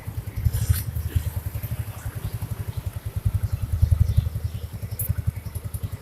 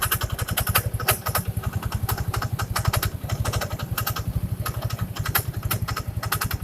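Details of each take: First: First-generation Yamaha Mio scooter after refitting the CVT cover with the kick-start part hooked correctly: revs with an even low thrum and steady pulses, CVT noise gone; shaft to be greased so it doesn't recur. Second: First-generation Yamaha Mio scooter at idle: steady beat with irregular sharp scraping ticks from the CVT side, starting seconds after startup; the kick-start shaft is rubbing the crankshaft.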